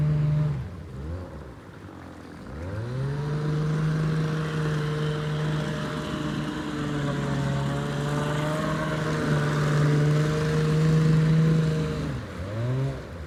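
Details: Abandoned jon boat's small two-stroke outboard, unknown if it ran after sitting since before winter, started in water: steady buzzy drone rising cleanly with throttle and settling evenly; runs smoothly and healthy, easier than expected.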